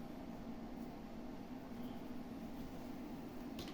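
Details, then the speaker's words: Fujifilm desktop PC bought basically new, all stock, 386 MB RAM, at power-on: steady airy whoosh over a low hum, no rattle, cooling fan very loud, louder than a PlayStation. "as you can see it's very loud it's is even louder than the PlayStation"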